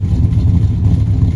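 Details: 1976 Dodge Dart Swinger 340 V8 before tuning, small hole in the bottom left unwelded: deep, steady burble with even pulses, no ticking or exhaust puffing; sounds healthy.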